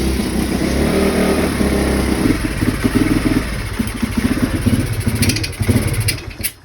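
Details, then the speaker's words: Written-off pit bike that had sat a while, started after only adjusting idle screw, very smoky, possibly condensation: small single-cylinder pops along at fast, slightly uneven idle with a few blips; engine running at idle, still needs tuning. "Okay, it started. It's really flipping smoky in here, so I should probably get out. It started. All I did was adjust the idle screw."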